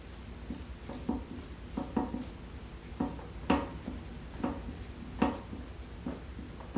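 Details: Secretlab Omega 2020 Edition office chair, used just over two months, makes light irregular creaks and ticks when the sitter shifts position in a quiet room; casters also noisy when rolling.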